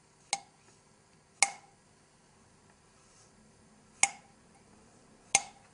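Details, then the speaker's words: 1974 Honda CB750 rebuild, engine valve tapped on its seat after lapping: four sharp taps, each a bright, high-pitched metallic ring that dies fast. This is a properly seated valve; an unlapped valve sounds dull, and a poor seat loses compression. "It's a high-pitched tingy metal sound."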